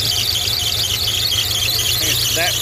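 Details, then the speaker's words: 1987 Jeep Comanche engine running with steady high squeal over the low running note from a loose accessory pulley; pulley to be tightened and repaired, broken bolt found in assembly. "I'm gonna try to tighten this pulley up to get rid of that stupid squeak and ice driving me crazy"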